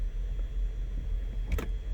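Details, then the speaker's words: 2007 Cadillac DTS 4.6L (LD8) with cruise control problems, idling: tapping the brake pedal gives one sharp click from the shifter interlock solenoid actuator but no release click. Sticking brake pedal switch, interlock solenoid not releasing. "I want you to listen to the actuator for the interlock solenoid okay for the shifter so go ahead and listen I'm gonna hit the brake pedal"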